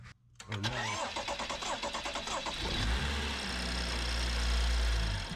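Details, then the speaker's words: BMW N55 first start after valve cover install with fuel system opened, fuel pump primed, new air filter: cranks briefly, catches unevenly with stumbling firing, then steadier idle; rough start attributed to fuel refilling the lines. "And you heard the rough start. Obviously, it's because the fuel is coming back in lines."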